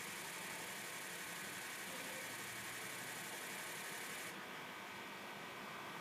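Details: 2004 Ford F-450 6.0 Powerstroke bought non-running; had a coolant flush, two oil changes, new oil cooler and EGR delete after a leaking EGR, batteries fully charged. Starter churns steadily, and it fires but won't start: long crank, no start.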